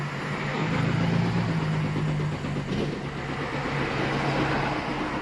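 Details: 2008 Infiniti G35 coupe, crank no start, fuel pump already replaced with fuel pressure verified: long steady cranking with slightly uneven beat and no catch; engine mechanical fault, intake valve timing off.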